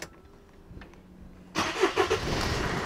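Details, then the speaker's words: Mercedes Vito 2.1 CDI diesel, warm engine, airbox removed: sharp rhythmic chuffing over the idle clatter from the rear injector's worn copper seal, all four seals to be replaced; injector seal leak. "If you can hear that chuffing noise, it's one of the injector seals. It's the back one on this one, unfortunately."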